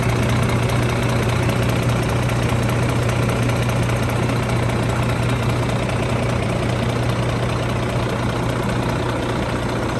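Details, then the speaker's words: Volvo FM truck diesel, 13 years old, 794,515 km, oil pressure fault code being checked mechanically, engine cold: steady low idle drone with even clatter, nothing out of rhythm; sounds normal. "Âm thanh có vẻ bình thường Vâng , nó có vẻ hoạt động tốt,"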